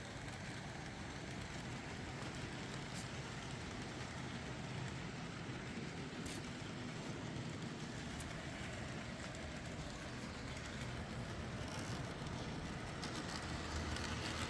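Steady rolling rumble of small trains on track, with no buzzing or whine from the motors; the locomotives run quietly and normally.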